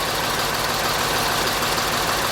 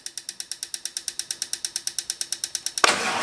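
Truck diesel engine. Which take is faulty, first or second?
second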